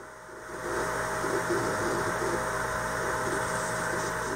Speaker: unfortunately this main board seems not to have any fan control and it blows with full speed all the time independent from the actual cpu temperature that is extremely annoying